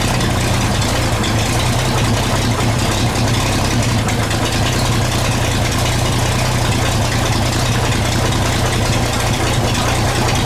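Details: 1934 Chevrolet 1.5-ton truck, first run after about 70 years stored, following carb cleaning, sanded points, oiling, fresh gas and 6-volt battery: loud, even petrol idle without stumbling or tapping, no smoke, about 15 psi oil pressure; running well.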